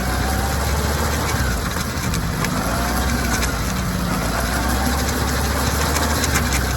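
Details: Kawasaki ZR-7S air-cooled four-cylinder at idle; rapid, uneven rattle over the busy idle, likely from the chain side, cause still being sought: chain noise.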